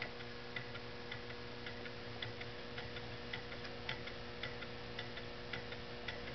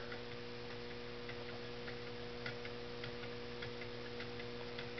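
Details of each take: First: Homemade Stirling engine running at a little over 120 rpm on a cooling cup of hot water, linkage pivots made of JB Weld. It makes a sharp, even clunk in time with each stroke, about once per revolution, over a faint fluorescent lamp hum. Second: Homemade Stirling engine with visible linkage, running on a cup of boiling water that has cooled a little: light, even ticking from the linkage over a faint hum, running smoothly.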